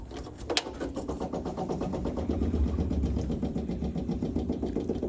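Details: 1960 MG MGA 1600 barn-find roadster, started after replacing ignition parts and spark plug wires: it catches and settles into a steady, even idle of about four beats a second with no misses; normal.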